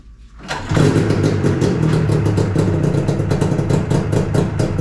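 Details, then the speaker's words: 2000 Yamaha SX500R two-stroke snowmobile after head gasket swap and coolant change: fires up within half a second and settles into a steady crackling idle with an even beat; still leaking two-stroke oil. "So now that she's starting, now we have some other issues to figure out."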